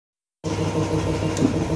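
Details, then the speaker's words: Red 2021 Yamaha All New NMAX 155 with a rough, rattly metallic clatter from the top end at idle. The mechanic suspects a failed cam chain tensioner and is disassembling it to confirm. "kita cek dulu untuk bagian Tensioner karena suaranya ini mengerucut ke suara Tensioner yang e rusak"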